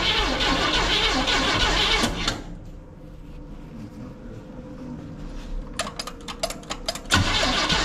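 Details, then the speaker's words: 1971 Chevrolet C10 V8 at first start on a temporary fuel line, cam not yet broken in: loping, uneven idle that keeps stumbling, a misfire from dead number three cylinder; some lifters may not be set or pumped up. "foreign dead on three number three no it's dead on three three cylinder"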